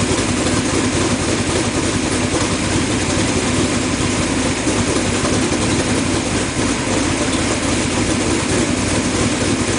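Steady, even idle for ten seconds with no misfire stumble or ticking, the engine running smooth and consistent.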